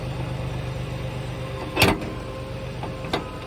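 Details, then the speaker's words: Chevy Lumina Euro with 3.1 engine, first start after sitting about 10 years on a weak battery: steady whine over a smooth idle rumble; an accessory pulley, unsure whether water pump, alternator or power steering, possibly low power steering fluid. "Definitely hear some pulley. I don't know if it's the water pump or the alternator. You hear that whining? Might be the power steering, actually."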